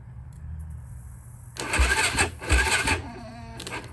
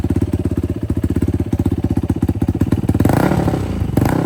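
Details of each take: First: 2006 Yamaha YFZ450 quad, unused for months, cranking sluggishly and unevenly on a weak battery. It cranked fast with the other quad's battery, so the starter works. Slow cranking from weak battery. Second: 2006 Yamaha YFZ450 quad, cold engine, after carb clean and float height adjustment, fuel screw out about 4–4.5 turns, DG exhaust, starts without choke: fast steady single-cylinder idle with blips, then shut off; normal running.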